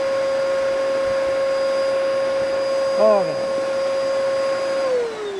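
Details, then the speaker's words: Bissell Powerforce bagless vacuum, first power-up, brush bar not turning; steady high whine with a strained airless note, no pitch change, no suction. Blocked airflow from clogged filters. "It's definitely plugged. Okay, let's look at the filter."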